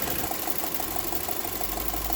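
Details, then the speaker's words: VW Eos warming up at idle, with a check-engine light for an EGR valve problem and about to be treated with EGR cleaner: a steady light ticking clatter, about six taps a second, over a smooth idle. The source is not identified. "okay while it's warming up um i can hear the lovely clatter rattle"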